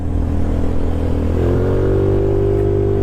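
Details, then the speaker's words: GY6 150cc trike scooter on its first ride, pulling away; rated top speed is about 63 mph. Smooth drone rises steadily in pitch with no knocks or misses; the owner says it has a ton of power and runs perfect. Normal running under acceleration. "it's got power for days even though this is only a 150 the top speed of the scooter is about 63 miles an hour it's a 150 it has a ton of power and it runs perfect this thing is ridiculous"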